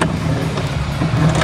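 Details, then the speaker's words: LG WF-T7070CP top-load washer running with water before repair: heavy clunks about every half second over the drone, traced to the clutch assembly, which has to be removed by disassembly. "Kung napapansin natin yung ingay, ayan o, kumakalampak."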